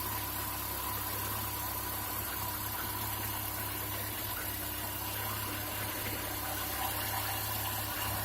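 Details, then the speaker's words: Chevy Niva idling with the air-conditioning drive belt removed: steady, smooth low hum with no squeal, rattle or knock. The extraneous noise is gone, pinpointing the fault at the AC compressor pulley and electromagnetic clutch. "посторонних звуков нету все нормально"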